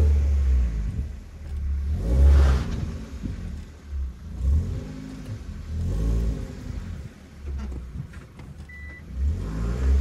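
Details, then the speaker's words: Hyundai Solaris fitted with a Kia Ceed GDI variable-geometry intake manifold, flap knock removed by software calibration: several clean revs rising and falling smoothly, no rattle or knock from the intake flaps; normal manifold operation after the fix. "так исправление шума заслонки - это переделанный Солярис на KC GDI коллекторе вот впускном с регулируемой геометрией"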